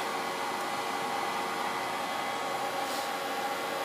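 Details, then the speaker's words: Pinzgauer 710K Eberspächer B4L/BN4 gasoline heater switched off on bench: smooth, steady whooshing whir with no flame noise as the blower runs on about two to three minutes to cool the hot burner chamber; normal. "the blower keeps running because the air the burning chamber is still very hot so that the air needs to blow so the burning chamber cools down and doesn't damage the whole equipment"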